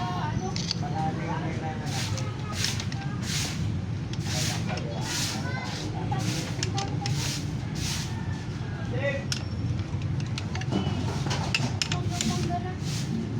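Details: Honda CB125 single-cylinder after cylinder head refit and timing set to T mark, before valve clearance tune-up: runs steadily with a low, even thrum and regular airy puffs; no knocking or ticking.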